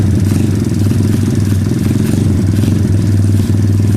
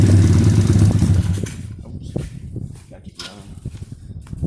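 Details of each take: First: 2013 SSR 110cc full-manual single-cylinder pit bike, freshly valve-adjusted: it holds a fast, even idle without dropping back. The idle hangs high because the wrong throttle cable is fitted and sticks, and the exhaust smokes rich. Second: 2013 SSR 110cc full-manual single-cylinder pit bike after a valve adjustment (one adjuster had no locknut and 30+ thou clearance): a crisp idle that dips then returns strong and even, with no valve tapping now. The idle runs rich and smoky.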